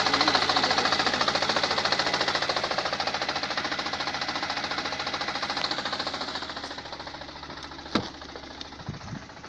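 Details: 2017 Lada Granta, 15,000 km: shaking and check engine light after reversing; sharp even knocking three or four per second from gearbox, fading as engine slows to stop; stops with clutch pressed, engine still shakes; cause unknown.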